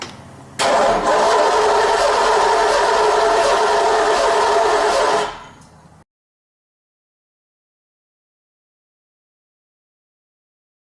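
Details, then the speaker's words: Race car engine cranking about five seconds at roughly two and a half beats a second, one beat hurrying through instead of a consistent rhythm, indicating low or no compression on one cylinder. "now you're going to hear one cylinder speed up you'll hear that that that that that and that will tell you it's got a bad compression on one cylinder"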